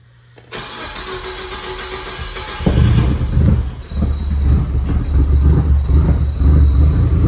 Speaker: Well, she just needs a tune. But it fires. We got crank cam, everything's back, so I think that's gonna do it.